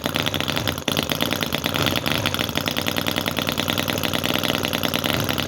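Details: Cison FG-VT9 9cc petrol model V-twin, about a year old, with carb float: buzzing along at a high steady beat with no misses or surging. Running cleanly after a hard start, float now working, until fuel runs out; normal running.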